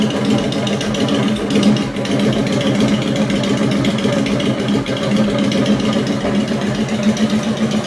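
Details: Honda Shadow V-twin motorcycle, started after installing a Hypercharger intake: lumpy, steady loping idle, then revs rise cleanly and settle with no knocks or misses. The owner thinks it sounds much better than before.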